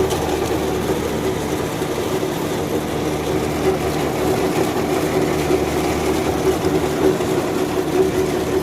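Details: John Deere 5075E CRD diesel tractor doing field work in a banana field, rpm holding with no drop: even, steady drone with no knocks or speed dips, pulls without bogging; healthy.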